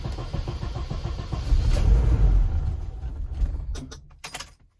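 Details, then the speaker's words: Car with a rewired aftermarket EFI, first start in many months, in neutral with handbrake on, tune altered and not dialed in: rhythmic cranking, catches and surges a second or two, then stalls; needs tuning. "Nice. Wanted to go, but I've got some tuning to do, so I'll bring it back when I got that done."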